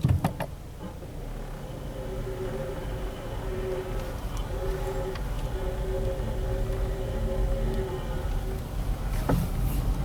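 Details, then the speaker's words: Nissan Versa, 64,024 miles, while driving: thin wavering high-pitched scraping squeal over road noise, unchanged when braking; suspected stone caught in left front brake dust shield. "this sounds like a classic rock in the brake Shield type sound here that's pretty high pitch sound I'm thinking something in left front wheel"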